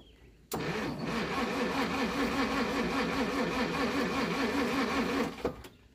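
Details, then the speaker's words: 1937 Pontiac Silver Streak barn find, long sitting, after the points were cleaned, with choke: the starter cranks rhythmically at about 2.5 turns a second for five seconds but never catches. Weak spark. "let me clean them points a little bit okay all right points are cleaned up let's give her a shot it's got spark okay not great"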